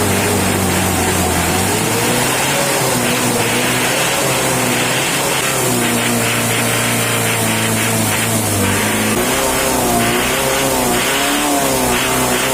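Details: Mitsubishi L200 diesel after jet-speed tune-up: revs climb and fall cleanly, no knock, miss or rattle; engine runs smooth and healthy.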